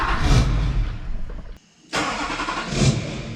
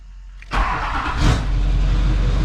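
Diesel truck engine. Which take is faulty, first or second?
first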